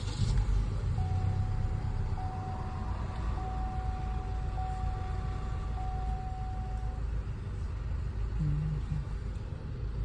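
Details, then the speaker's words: Chevrolet Cruze at idle after fixing oil in coil wells with a gasket, coils refitted and codes reset; steady even rumble, no misfire or shake. Normal idle. "Is there any misfire? Nope. The car runs fine. Engine no longer shakes."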